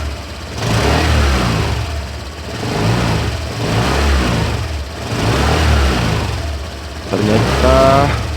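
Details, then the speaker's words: Late-2018 Honda Vario 125 scooter, after rubber shims fitted to radiator cover: coarse gravelly growl under each low-speed throttle blip, unchanged; radiator cover ruled out, true cause unknown. "Ternyata masih tetap saja tidak ada perubahan, masih tetap kasar dan ngorok suaranya."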